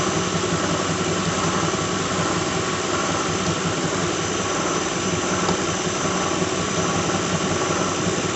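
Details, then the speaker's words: 2006 Lincoln Town Car, just started cold: even idle with whir and loose, irregular rattle about once a second at the front; bad harmonic balancer, after coil packs, plugs, pulleys, alternator, belt and cam sensor failed to fix it. "You can hear it rattling right now. There, you have a bad harmonic balancer."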